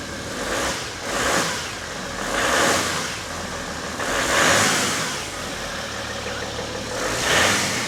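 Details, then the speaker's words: 2012 BMW X5 diesel, M57 engine, first start after EGR cooler repair and coolant refill: even diesel clatter with light turbo whistle, level gently rising and falling, no knock or rattle; no fault codes, normal idle. "does that sound normal yeah okay any codes no so we fixed it listen Turbo I hear a little turbo yeah this is the M57"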